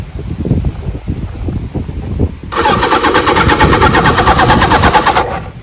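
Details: Wrecked Suzuki GS1100G parts bike, battery hooked up, turned over on the starter without trying to start it: about three seconds of quick, even cranking with no binding; engine turns freely.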